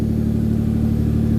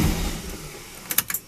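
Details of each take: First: Car being prepared for the dyno after a fuel-pump swap and 20 litres of fresh fuel, started very cold with no coolant and not yet tuned: heavy, slightly lumpy, sluggish drone that resists revving. Probably running very rich. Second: Car after fuel pump and tank refit with 20 litres of fuel, very cold engine awaiting tune: a couple of cranking attempts, catches, flares and settles to steady even idle; good fuel pressure, oil pressure and vacuum, likely rich.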